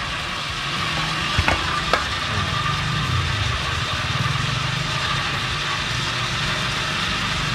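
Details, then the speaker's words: Household water pump after replacing the bearing and mechanical seal, pumping water with the gauge rising: steady even hum with water rushing, no grinding or bearing whine; now very quiet and running normally. "Okay na. Napakatahimik na. Hindi na tayo nakakabulahaw sa kapitbahay."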